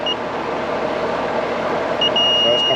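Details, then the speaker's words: Carrier AC condenser with a no-cooling call, compressor won't start and a wire is melted: the meter beeps steadily on the leg-to-leg check, showing the compressor is grounded with shorted windings and needs replacing. "this compressor is grounded. See that? It should not beat leg to leg like that. So compressor no good."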